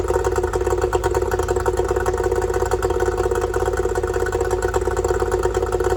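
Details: Yamaha two-stroke outboard after fixing oil leaking out of the bottom of the carburetor: no more oil coming out; steady popping idle with an even beat, no stumbling or dying; normal idle.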